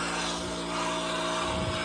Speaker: And we're gonna go on the 11. Ready? There we go. You hear it kick on, full blast.